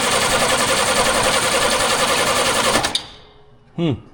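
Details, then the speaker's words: 1938 International pickup cranking with spark present and fuel supplied: a fast, even, puffing chatter that then cuts off. The owner suspects something is stuck and there is no compression, so the cause is unknown; abnormal cranking sound. "something stuck and we got no compression very [Laughter] weird it's got all the bits it needs to go I don't know how poofy it little 28 supposed to sound"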